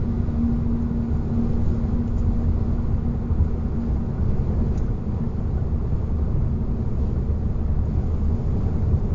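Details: 2021 Hyundai Ioniq (facelift) at 50–140 km/h: steady low hum or whistle over road rumble that grows louder with speed, unchanged in neutral at 130 km/h and after a winter-to-summer tire change, loudness varies with asphalt; source unknown, dealer calls it normal.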